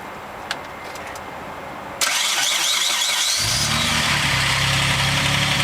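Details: 3000GT/Stealth twin turbo, cold start: fires and settles into a fast, busy idle with a light rapid ticking on top; owner says the start-up sound is lifter tick.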